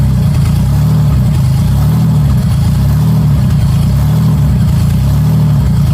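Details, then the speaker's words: 1994 Cavalier 5-speed, built 3400 V6 with strip cam and open exhaust dumping down, oil pressure checked by transducer: loud deep steady lopey idle pulsing about twice a second; engine runs healthy. "This is awesome, guys. It runs. Sounds amazing. It's just really loud. Once I get the exhaust hooked up and it's not like dumping straight down."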